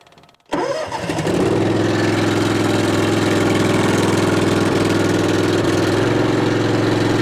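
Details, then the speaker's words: Multiquip 1.5-ton asphalt roller's small engine, which wouldn't start due to a failed fuel pump, after fitting a cheap clicky electric fuel pump and turning fuel on: cranks, catches within a second, settles to a steady even putter; normal start and idle. "Oh yeah! Never let me down. She's all reliable."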